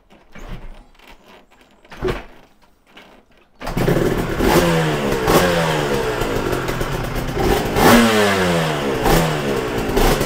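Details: Yamaha TZR 250 3XV two-stroke twin, rewarmed after a compression test, with one cylinder running cooler from different carburation: it starts crackly and revs unevenly with lumpy pulses at three to four pops a second, one cylinder working harder, showing a carb imbalance.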